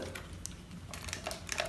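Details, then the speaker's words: Panasonic Lumix GH5 body, lens removed, shaken by hand; quiet, irregular light clicks and ticks in short bursts; owner suspects the unpowered stabilized floating sensor wobbling, probably normal but not confirmed. "it's the sense of free-falling that's probably that's probably normal right I mean this has stabilization is that what is that the sensor wobbling on its own stabilization without power"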